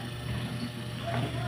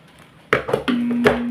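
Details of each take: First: Crex 45 W stand electric fan motor after repair of worn ball bearing and running capacitor, previously humming without spinning; quiet steady low hum, shaft spins with no wobble noise, normal running. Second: Centrix 45 W stand fan on speed 3, not spinning: steady low electric hum, blade spun by hand turns then slows and stops; weak running capacitor and worn bushing/bearing.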